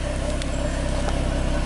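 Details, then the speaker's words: 2013 Ford Mustang V6 Premium, about 38,500 miles, stock apart from a permanent air filter, water pump replaced: soft, even idle with no miss, knock or engine noise, only injector clatter; belt quiet, healthy. "you can see that it's not missing there's no engine noise or knock you can just hear the injectors clattering everything's doing its thing belt's quiet"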